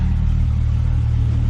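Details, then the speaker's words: 1998 Jeep Cherokee XJ idling after a new exhaust header replaced a cheap cracked one whose gasket had blown; the under-hood exhaust leak noise is gone, with a deep, even idle and exhaust exiting out the back. "But all the exhaust noise is gone under the hood. Don't hear an exhaust leak anymore, and all of our exhaust seems to be coming out back here where it should be."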